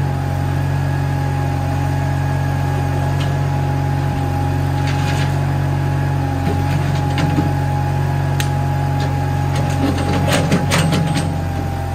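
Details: Case 1816C skid steer that sat in a barn 10+ years, driving after clutch lever engaged: deep steady engine rumble with light mechanical clatter, holding speed evenly; normal running.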